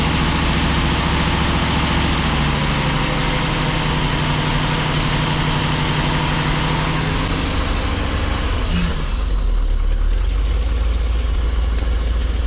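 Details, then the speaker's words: 1987 Class A Coachmen motorhome gas engine, still cold, gas pedal feathered to keep it running: low, uneven idle with a wandering beat and no fast idle from the dead automatic choke; oil pressure good, alternator charging. "So I gotta sit here and do this for 2, 3, 4 minutes. Kind of feather the gas pedal, keep it running. Then it'll be okay."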